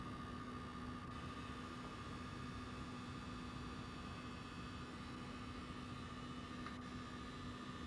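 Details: PS5 console: quiet steady hiss under a constant low buzz with a higher whine on top; persistent electrical-sounding buzzing noise.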